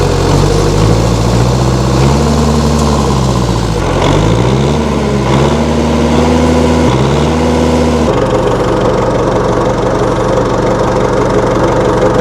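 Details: 1960 Massey Ferguson FE35 4-cylinder diesel tractor, after sitting long in a paddock: clatter rises and falls with a few throttle blips, then settles into a steady, even idle; runs fine.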